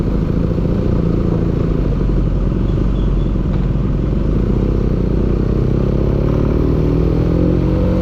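Rough, uneven low rumble with a constant clattering knock through the run; an engine knocking, though the source isn't pinned down.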